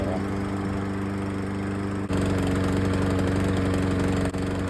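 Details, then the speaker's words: Troy-Bilt lawn mower's small single-cylinder engine on its old carburetor before replacement, with the choke off; it thumps along but stumbles and won't hold an even beat. The original carburetor runs poorly once off choke. "once the choke is off it doesn't run good"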